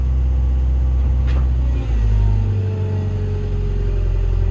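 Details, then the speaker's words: Construction plant diesel machine showing check engine code E01 157-18, stalling on a ramp: runs all right until load comes on, then revs sag, it bogs down and dies; suspected fuel supply fault. "bogs down and dies a death so let's have a look fuel"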